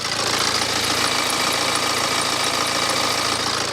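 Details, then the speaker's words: BMW 318d with N47 diesel at idle after startup, engine cover loose; steady clatter with a faint high chirp, squeak from one of the pulleys, probably the alternator pulley; timing chain rattle also in question. "And there is definitely some kind of squeak coming from one of the pulleys."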